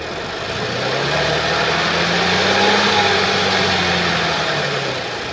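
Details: 2013 Audi S4 B8, 3.0 petrol CGWC engine, 245 kW, 188,866 km: idle and slight revs with a faint steady whirring tone; abnormal engine noise, stated to come from a skipped timing chain.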